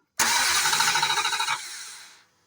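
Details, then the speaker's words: Dodge Durango with a no-crank no-start complaint, starter energized directly by jumper wire from 12 volts. Quick even cranking for about a second, then the engine catches and settles. The starter is good; the theft system is suspected next. "Look, that lets you know that the start ain't even bad."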